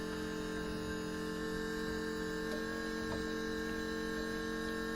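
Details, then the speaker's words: 4WD Daytona temporary fuel system with lift pump, surge tank, high-pressure booster pump and adjustable regulator; pump on battery power with regulator set around 60 psi, said to work less hard at lower pressure; steady electric hum with clear high tone; running normally. "see it doesn't have to work as hard the the less pressure you put in it"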